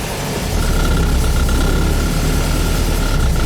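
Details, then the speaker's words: VW bus after transaxle removal and reinstall, cold start, in second gear against a firmly applied emergency brake; second used to pop out. Engine labours steadily with no clunk or surge; the gear holds. "Yeah, hit my emergency brake a little harder. Yeah, that would have popped out before. Yeah, let's try second. Second's what I'm worried about."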